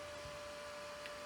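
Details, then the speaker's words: Fronius solar inverter cooling fan running at full speed: steady, piercing whine over an airy rush. Debris falling into the heatsink fan channel is suspected of making it noisy. Noisy cooling fan. "But so what can happen is debris can fall down here and get stuck in there and end up through the fan and be causing it to be noisy like that, or causing it to stop altogethe"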